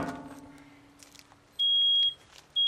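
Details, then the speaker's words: Photoelectric smoke alarm going off within a couple of seconds of smoldering couch-cushion smoke from a soldering iron in a covered aquarium: loud, high half-second beeps each second; the other alarm, slow for this fire type, then also sounds. "wow only took a couple seconds for that one to go off now you can hear both of them going off finally because we mixed up the air a little bit"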